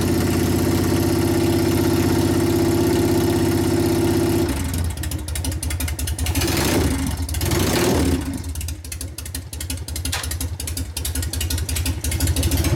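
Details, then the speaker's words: 1999 Harley 80ci Evo V-twin rigid, after repair and reassembly; steady even idle with clean low beat, no clanking or clatter as before; engine sounds tight, normal idle. "now that you know the difference now you hear it's all tight you hear the difference in it now it's not clattering around this"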